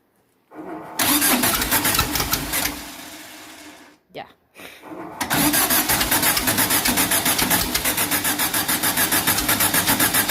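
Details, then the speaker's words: 2332cc VW bug (Dust Buggy) cold start, first firing after carbs cleaned, fresh oil, new oil filter: cranks, stumbles, catches, then lumpy uneven beat about four pulses a second; rough running, suspected flooded misfire, smoke noted. "all right now that that's sorted out she'll probably miss fire because she's flooded but we'll see"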